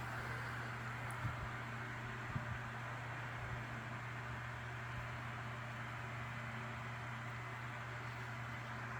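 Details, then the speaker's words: Lasko 3150A 12-inch three-speed oscillating table fan, circa 1980-81, running on high. Even, steady airy rush over a low constant hum with no rattle or wobble; powerful but not overly loud: normal fan running on high. "these fans are pretty powerful move a decent amount of air on high still not too overbearingly loud either"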